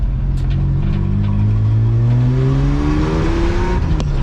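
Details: AU drift car inline six on a new two-and-a-half-inch exhaust, exhaust rattling against the spare wheel well: revving hard under full throttle, with a rising note that burbles, stutters and breaks up unevenly. Misfire under hard throttle, cause unknown.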